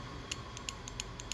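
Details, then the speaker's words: Known-good new fuel injector for a 2000 Ford Ranger 3.0 with a misfire, bench-tested by tapping a 9 V battery on and off: crisp, sharp clicks, about seven in under two seconds; the injector opens normally, while the old injector stays silent. "Usamos una batería cuadrada de 9 voltios y vamos a hacer la prueba correspondiente. Escuchemos cómo se escucha el nuevo inyector."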